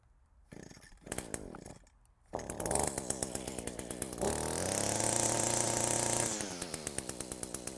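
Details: Echo two-stroke with low power and no rev, after carburetor rebuild with kit and refitted air filter. A few short pulls, catches, revs cleanly, settles to steady even idle; normal running.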